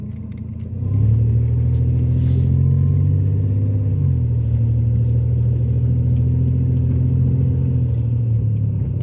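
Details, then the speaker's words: Ford Taurus after a repair at another shop: deep, steady low rumble as the engine pulls, sounding like a diesel, with power dropping dramatically; an exhaust leak is suspected but not confirmed. "like a diesel that shot got my car sounded like got my Torah sounding like a diesel [Music] and then the power decreased dramatically"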